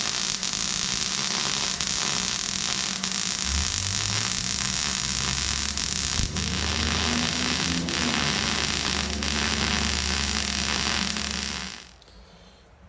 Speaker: they say good MIG welding sounds like frying bacon. Have a listen here.